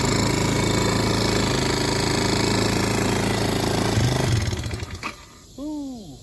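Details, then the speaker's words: Chinese ATV small single-cylinder after carburetor float area cleaned and reassembled: runs fast, fairly steady at high idle without throttle, then cuts out; carburetor adjustment or throttle cable suspected, not confirmed. "Okay, that's pretty sketchy doing one-handed. So I need to adjust the carburetor or check the throttle cable or something. She was taking off."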